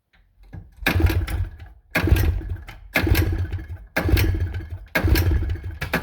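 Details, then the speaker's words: Two-stroke engine that won't start after about 50 pulls in 30 minutes: rough low popping cranking bursts about a second apart that die out. Owner suspects it needs a new spark plug; a valve was also leaking a little. "i' been pulling on that for like 50 times now in the last 30 minutes I think I need a new plug"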